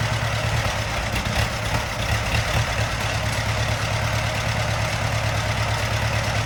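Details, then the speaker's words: Case tractor after an engine swap, started on ether with the fuel system not yet hooked up after sitting; 10 psi oil pressure while cranking. Old engine chugs at an even low idle with no knocks or misses; running smoothly. "but i'd say it runs pretty good we had 10 psi all pressure cranking that's that's a success sounds good too"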